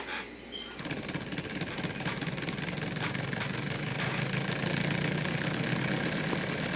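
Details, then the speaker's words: Homemade two-cylinder Bedini (daftman) motor with squirrel-cage generator and neodymium bar-magnet rotors: after start-up, an even rapid pulsing buzz and steady hum as both motors sync and run smoothly. "and it syncs up good uh both motors are synced up"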